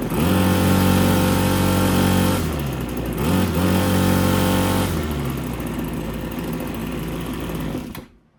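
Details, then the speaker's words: RedMax TRZ230S two-stroke string trimmer, after repair for hard starting, rough running and fuel leak: buzzy drone holds modest speed, never reaches full revs, then dies; low revs, slightly unbalanced, cause unconfirmed. "So, obviously she runs. However, it's not revving up super high, and I just noticed this. So I think it's running a tad bit unbalanced."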